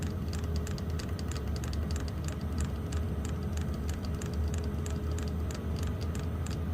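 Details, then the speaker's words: Wippro diesel heater with E8/E10 no-fuel codes, fixed with a fuel pump from a second unit, pump turned up all the way: quick, even clicks over a low hum as the dosing pump delivers fuel. Hot air is returning, with some air bubbles still in the line. "yep we're getting hot air now so E8 E10 is no fuel and when you don't hear the clicking you don't get got a fuel pump anymore pretty self-explanatory"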